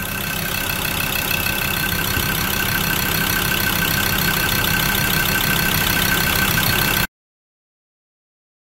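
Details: Ford Ranger diesel engine newly installed in a Troller with five new injectors and new coolant, after the old one lost power with injector codes and overheated at about 100 km; warming up at idle with steady even clatter, no misses or knocks; normal idle.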